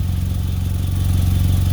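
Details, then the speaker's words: Nissan Altima idling, heard under the car at a previously cut and joined exhaust pipe with uneven pipes and a leaking stainless clamp; low throaty pulsing puff; exhaust leak at the joint, before fixing with exhaust wrap. "this is where i cut the exhaust previously but you can see that uh right here this is an unevenness in the pipes underneath there and it's leaking these these dark spots here are the exhaust blowing past"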